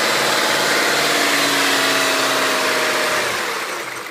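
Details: BMW E39 M5 V8 engine: steady hum with a faint rhythmic buzz fading as revs drop; vibration and noise from the engine, cause not identified.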